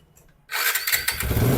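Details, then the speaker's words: TVS Apache RTR 160 BS3 engine, which gives white smoke three years after a block assembly replacement, before a full engine job: engine catches and runs rough with sharp knocks through the exhaust; heavy crank and connecting rod knock, compression problem. "आप देख ले engine से भी काफी sound आ रहा है कंक से काफी ज्यादा साउंड कनेक्टिंग से साउंड आ रहा है जैसे इंजन के अंदर इंजन का बिल्कुल बुरी तरह से बैन बजा पड़ा है"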